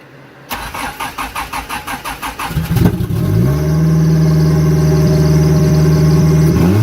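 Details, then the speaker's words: Turbo Mitsubishi 4G63, intake and exhaust cam gears both moved 3 degrees: cranks, catches, climbs and holds about 3,500 rpm after a throttle blip instead of settling; idle hanging high, cause not confirmed. "you blipped it and it's staying at that it's not coming down off the thing"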